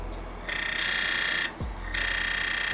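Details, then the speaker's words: DF64V V2 coffee grinder with SSP High Uniformity burrs, adjusted to zero to demonstrate; motor hum broken by bursts of piercing high chirp and fast ratcheting squeal as the burrs touch; burr rub. "I'm going to show you what burrs shimming actually sound like. Now that is burrs shimming."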